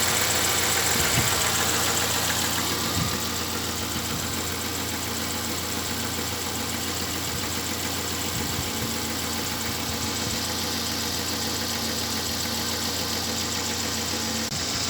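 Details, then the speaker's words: Engine with error P0507 (high idle, check light on; earlier held about 1000 rpm) after about 10 km of driving, near-hot: steady, even idle around 800 rpm, smooth unchanging beat, no misses or knocks; running properly. "Вот сейчас вот такие холостые. Где-то, наверное, 800. Так, двигатель работает вроде ровно."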